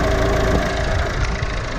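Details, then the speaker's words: Vauxhall Vivaro van diesel started during a cooling system bleed after a coolant leak repair. Lumpy, uneven idle with a heavy low throb and rattly shake. The engine rocks hard with lots of play, and a worn engine mount needs replacing. "This was probably the worst start this engine ever had. And as you can see, we have one more thing to add to the list. The engine is shaking really, really bad."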